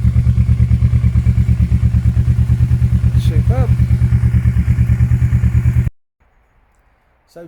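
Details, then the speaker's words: Kawasaki KLE 650 A7 twin bought at auction, warmed up with choke off: even, steady thumping at about three beats a second with a loud open exhaust bark; runs healthy, exhaust needs a baffle. "it is mental out and it does need a baffle on the back but this is a well-known exhaust so I should be able to get one easily"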